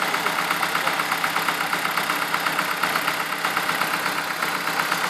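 Steady idle with a sharp metallic tick about twice a second, evenly spaced over the engine note; a clear knock of unknown origin.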